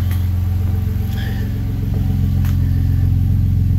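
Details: Engine refitted after being pulled out for repairs, first run: a steady, even note with a smooth rev and no knocks, ticks or hiss. No leaks at the exhaust V-band joints, so the engine runs normally.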